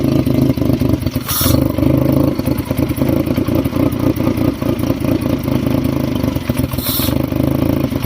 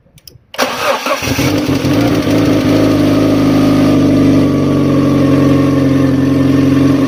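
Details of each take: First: Fiat Stilo with replacement engine and refitted timing belt, at idle: shaky, uneven clattering that hunts and never settles. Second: Fiat Stilo after engine replacement and new timing belt (original belt snapped), cold weather: cranks briefly, catches first time, settles into even steady idle with no misses or knocking; runs properly.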